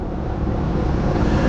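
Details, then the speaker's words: Car crawling at low speed on a tyre with no air, leaning to one side: low heavy rumble with constant loose rattling grind, loud inside the cabin; flat tyre rumble. "दोस्तों , tyre से गड़गड़ाहट और धड़धड़ाहट की आवाज आ रही है। इससे लगातार खड़खड़ाहट और खटखटाहट की आवाज आ रही है। अंदर बहुत शोर है।"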